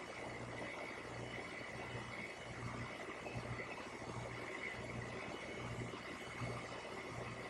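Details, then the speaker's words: AC condenser running normally after a weak dual run capacitor (rated 45x7.5 MFD, reading 0x7.3) was found. Herm draw .625, fan draw .97. Low steady hum with soft fan rush. "And now to show you that based on the first video, even when you take off the hard start kit, it will work. Unlike before where only the fan came on. As you can see, you hear the compressor, so we are good to go."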